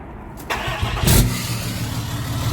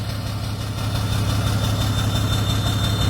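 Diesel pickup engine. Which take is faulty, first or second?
second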